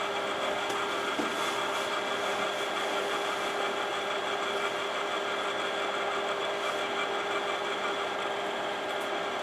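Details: Imation LS-120 SuperDisk drive writing a SuperDisk: continuous whirring with light scattered ticks over ten seconds; head motion irregular, owner suspects alignment fault; written data turned out corrupted.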